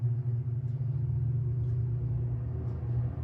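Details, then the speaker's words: Wolf range hood after replacing blower fan controller (811529) and knob (811195), fixing blower that kept running: power on, blower runs on slow, then switched off. Low, steady hum, no rattles or surges; normal blower operation on low speed. "It's running. Slow. And then off. It seems that it's working."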